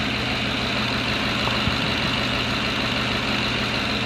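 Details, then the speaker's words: Ford F-150 5.4L 3V after passenger-side exhaust manifold replacement with new gaskets and studs; smooth even idle, steady low rumble, no ticking or puffing from the manifold; exhaust sealed, normal idle. "nice and quiet I like new okay not so bad right yeah I know it was a real pain but you'll be glad when it's done and it sounds like a brand new quiet vehicle now"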